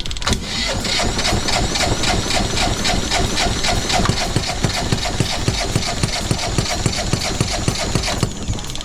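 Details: Phasor marine generator on sailboat, previously seized, rebuilt with new injectors, fuel bled, on preheat: steady starter cranking three to four strokes a second for eight seconds, never catches; cranks but won't fire, starting fluid tried next.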